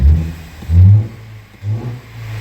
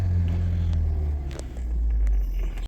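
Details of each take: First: 2016 Ford Flex 2.0L EcoBoost, codes P0012 P0015 P0017, throttle snap test: loud hollow deep whoosh swelling and fading with revs, engine nearly stalls; intercooler-to-intake pipe disconnected, intake air leak. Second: Ford 2.0L EcoBoost (listed as a 2016 Flex, described as a 2017 Edge) with P0012/P0015/P0017 cam timing faults, after repair: steady smooth low idle rumble with no misses, knocks or ticks; no check engine light, confirmed fixed.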